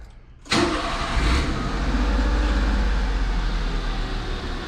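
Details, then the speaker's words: 1999 Mitsubishi Minicab kei truck right after oil change (3 quarts 5W-30, new K&N H1008 filter), out of gear: cranks, catches at once, smooth even idle without ticking or rattle; owner says sounds happier with new oil. "can say that it sounds happier. I can't lie. Let that new oil circulate a little bit. Yeah, this is good. The engine definitely sounds happier with new oil."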